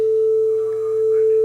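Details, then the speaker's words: Nakamichi DR3 cassette deck with no-playback shutdown fault, playing 440 Hz test tone recorded on a calibrated deck; clean steady tone with barely any drift versus reference, tape speed accurate. "you can hear just a very slight [Music] tone going back and forth left to right that's how close we are it doesn't get much closer than that"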